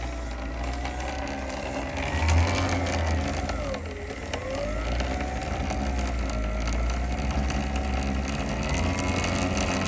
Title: Talaria MX5 clunking / clicking what is this noise? #surron #talaria ebike dirtbike emoto chain